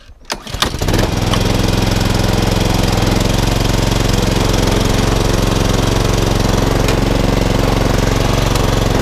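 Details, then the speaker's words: HRX476 mower, fully serviced, drive belt rerouted over the back pulley: catches after a short pull and settles into a smooth, even run with no misses or knocks; drive strong, rotor clutch works. "That's all now up and running. The drive now is as strong as anything."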